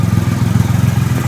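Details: 2008 Triumph Rocket III triple idling after the starter relay mod bypassing the OEM relay, restarted to compare starter revs: firm even exhaust thump about fourteen pulses a second, no misses, rattles or hunting, healthy idle.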